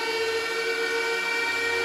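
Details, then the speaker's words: ASIC crypto miner running in attic as power supply fans kick on: loud steady fan roar with several constant high tones and hiss, no wavering or rattles; miner and supply fans running normally. "so if you think you want one of these and you think you know where you want to put it just know that it's louder than you think oh there's a power supply fans kicking on"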